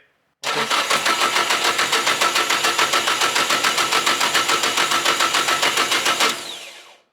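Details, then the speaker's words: SR engine, first start attempt after rebuild, cranked at 5-10% throttle: about six seconds of even cranking near three and a half pulses a second, no firing; spark and fuel present but ID1000 injectors not firing, to be serviced or replaced. "Nothing. Well, day 2. Still in day 2. Spark is good. We're getting gas to the injectors, but the injectors just don't want to splooge."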